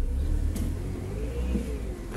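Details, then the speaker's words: Chery Face engine starting after fuel pump repair, a melted, overheated pump terminal that stopped contact so no fuel was injected, fixed with an improvised adaptation: engine catches and revs with a low, even drone, no stumbling; runs normally. "vou ligar o carro aqui para ver espera aí aí galera Ó deu super certo bateu pegou"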